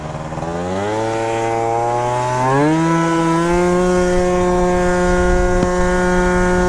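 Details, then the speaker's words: Piaggio Typhoon scooter, 70cc build with new Malossi MHR Team 2 variator and PWK-style carb, under 200°F; revs climb in one smooth step then burbly, blubbery drone; running very rich, slow, barely hitting 50, needs less fuel. "Oh, it's running really, really rich. We're not even at 200° F right now. I did not notice that. This thing is so slow."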